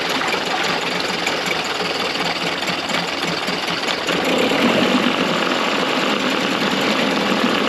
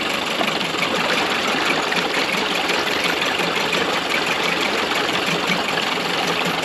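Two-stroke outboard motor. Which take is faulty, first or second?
first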